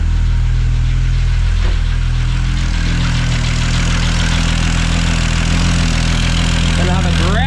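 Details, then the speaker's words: FG Falcon turbo six running E85 (currently 60% ethanol), after warm-up tuning: a steady idle with a sharp puffing tick on each exhaust pulse over the low rumble. Exhaust leak at the dump pipe. "have a grouse exhaust leak there, but nothing on that one."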